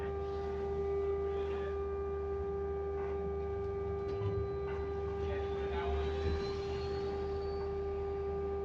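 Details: Stagecoach London bus SLN 82060 on route N199: a steady mid-pitched whine holds level over the engine's low drone throughout, source unidentified; constant-pitch whine.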